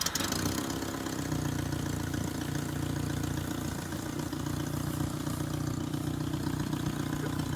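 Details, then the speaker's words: 1978 Datsun 1500 Ute GN620, 20 years stored, new carburettor, started cold to warm up before first drive: catches on starter, settles into steady slightly lumpy cold idle; normal warm-up idle. "so what we're going to do is we're going to start the engine up we'll get it nice and warm and then i'll just start it up on gear and we'll just drive it as it is"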